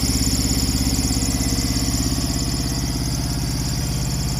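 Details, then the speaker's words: Truck APU small diesel after oil, coolant and oil, air and fuel filter change, covers back on: steady, even idle pulse about three times a second, no misses or knocks; running pretty good, healthy. "running pretty good but it took a while to get there"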